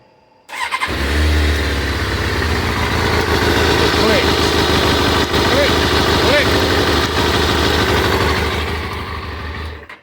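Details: Kawasaki ZZR600 that was run out of gas and vapor-locked, fuel pump freed by pushing its contact down with a screwdriver: engine catches almost at once and settles into a smooth, even run with no misses or knocks. Normal start and idle.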